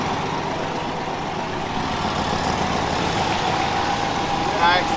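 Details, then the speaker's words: Engine idling after the leaking exhaust flange was repaired without a gasket: even, steady idle with no puffing, ticking or hissing. The exhaust is now sealed and runs quiet, with no leak. "nice and quiet well there you go that's how you fix that flange"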